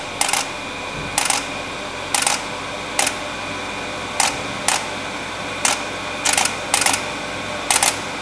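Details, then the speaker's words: Pro-Cut 9.0 on-car lathe in calibration mode aligning to the hub before cutting a brake disc: sharp, evenly spaced clicks about once a second, some doubled, over quiet motor hum; clicking stops when calibrated to probably under a thousandth of an inch run-out. "we can see their machine stopped calibrating by by the clicking noise disappearing at the gauge"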